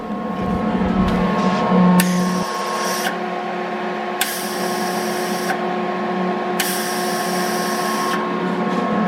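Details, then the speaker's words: Eastwood MIG 175 welder, about a year old, on 220V: three bursts of gas hissing over a steady hum with relay clicking and no feed-motor whir. Gas purges but wire doesn't feed; the drive motor/roller is suspected, not confirmed. "you can hear the gas coming out okay that's the rest of guests it's purged out but you can hear a relay clicking in there or something"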